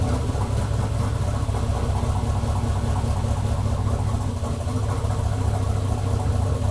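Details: Chevelle LS turbo build on Holley Terminator X at first start, closed loop pulling 31% fuel, fuel pressure 60 psi; deep, uneven, shaky lopey idle because the fuelling is still untuned.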